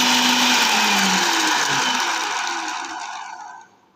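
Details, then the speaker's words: Bajaj FX 1000 food processor running with jar fitted to satisfy the interlock: high motor whir winding down after switch-off with a faint rough flutter; worn black rubber motor coupler that drives the jar, to be replaced. "तो हम ये जो black colour का rubber है वो बाहर से लाएंगे और रिप्लेस करेंगे।"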